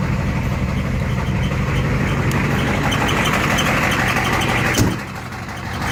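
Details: Ford truck with ZF5 S5-47 manual transmission, supposedly good used unit: high whining squeal over engine dropping off as it winds down; teardown found rear countershaft bearing race spinning in the case, 0.006" countershaft endplay, bearings only minor pitting.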